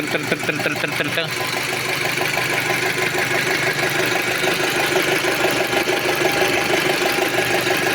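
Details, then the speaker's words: 2006 Audi A6 2.0 FSI turbo with low oil pressure light coming on, warmed to 90°C; fast light ticking from the injector side over idle. Owner suspects worn camshafts or cam phaser. Valvetrain ticking, cause unconfirmed. "Єдине, що чути от зараз, якщо з цієї сторони тут форсунки, чути, що вони там трик-трик-трик, трик-трик, а з цієї сторони чути так."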